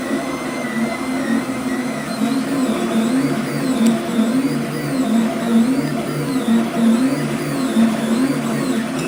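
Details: Flux 3D printer with stepper motors rigidly mounted to brackets on the base plate and rods: high wavering motor tones rising and falling as the axes move, ringing through the frame; stepper noise, reduced by detaching the motors with Nema17 vibration dampers.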